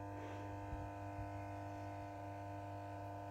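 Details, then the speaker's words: 1974 Holophane S400 globe lamp, ballast running: steady electrical hum with buzzy edge and faint irregular crackles; owner finds it worrying and suspects a small short circuit, nothing serious, unconfirmed; ballast buzzing. "Mais bon, vu les bruits qu'il fait, c'est quand même inquiétant. Je pense qu'il doit avoir un petit court-circuit ou quelque chose, rien de méchant, mais bon."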